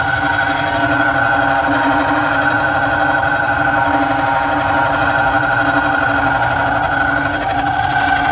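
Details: Carrier Weather Maker 800 TS furnace: loud, steady mechanical grinding with rough scraping texture over the furnace hum; blower motor worn, needs replacement.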